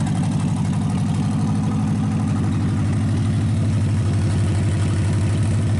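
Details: Packard 374 cu in V8 idling evenly, about four beats a second, deep low exhaust note, after crankcase drain and carburetor cleaning on a small overhead tank: quit skipping, all 8 cylinders; smoke from oil in intake remains. Normal idle.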